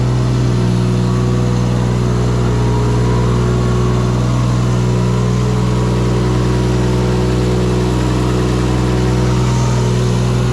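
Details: Project vehicle's engine, LS alternator kit, fired up for first time after fixing startup faults: smooth, even, steady drone with no misses, knocks or surges; sounds healthy though alternator voltage too high, not regulating.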